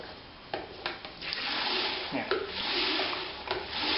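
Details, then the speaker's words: 3M spin mop after repair (threaded spindle cleaned and regreased to cure loud, stiff spinning): spun dry, soft rubbing swish with light taps, no squeal or grinding; runs quietly. "แล้วนะครับคือมันจะมีเสียงความที่เราปั่นน้ำแต่ปันปั่นแห้งปั่นแห้งมันจะไม่ค่อยมีเสียงเท่าไหร่"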